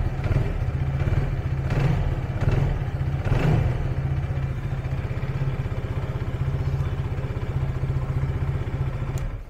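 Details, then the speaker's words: TRK 251 motorcycle after replacing its 3-year-old dead battery: engine starts and holds a steady, even idle with a smooth low pulse, no knocks or rattles; problem was the battery. "So okay geng, dah dapat pasang elok dah. Cun sebenarnya problem bateri lah."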